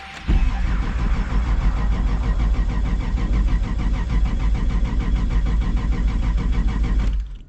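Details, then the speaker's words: RX7 with 2JZ-GTE VVTi swap, owner suspects poor previous wiring causes hard starting: steady fast rhythmic cranking about seven seconds with no catch, then stops; extended cranking, no start, cause unconfirmed. "this car does have a problem starting whoever did the wiring in this car before they didn't do a really good job car does not really like to start"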